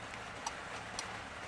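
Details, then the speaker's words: Aftermarket keyless entry kit installed on a Ford AU Falcon, fourth fob button in find-car mode with hazards flashing. Crisp light ticks about twice a second from the keyless entry box relay. Normal relay ticking. "And the last one that they don't give you is just, you'll hear the keyless entry box ticking away."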